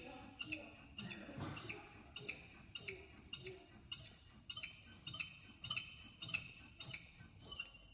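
Sharp high-pitched chirps repeating evenly, about 100 per minute, over a faint running background; chirping source undetermined.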